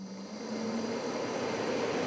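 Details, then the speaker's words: Furnace or heat-pump air-handler ECM blower motor after replacement, which clears the A41 blower motor fault code: the blower spins up smoothly with a rising airy rush and even hum, with no rubbing or clicking. "there is a beautiful sound the fan is working again"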